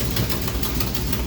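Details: 1973 Plymouth Duster with 440 V8, cold start after sitting a week, fuel pressure set at 6: loud, lumpy idle with steady, even low pulses and no tapping or knocking; healthy cold idle.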